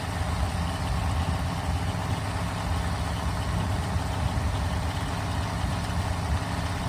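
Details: Freshly built 1974 Mopar 400 big block (stock stroke and crank, free GM distributor) on a run stand, first real start and break-in: steady even low rumble at fast idle, no knocks or ticks; healthy.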